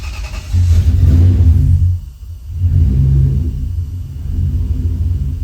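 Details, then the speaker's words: 1989 Toyota pickup with swapped 1UZ-FE VVTi V8 on newly wired Spitronics ECU, first start: deep rumble catches, blips up, then settles into a smooth, even idle around 700–800 rpm (tach reads high); normal idle. "i think it's idling a little lower than that i think it it sounds to me like it's probably closer to seven or eight hundred"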